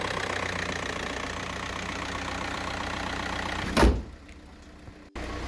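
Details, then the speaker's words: 2008 Skoda Octavia 2.0 TDI diesel just after starter motor replacement: starts first time into a steady, smooth, low idle with no knocks or misses. Normal idle. "Well, there we have it, guys, all done and dusted, started up and everything, first time, boom, there we go."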